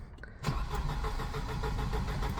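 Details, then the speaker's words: Volvo 240 with K-Jet (CIS) fuel injection cranking with steady rhythmic churn but not firing; owner suspects the cold start injector is dumping too much fuel, and had it unplugged; crank, no start. "come on maybe the cold start injectors playing up dumping too much fuel in"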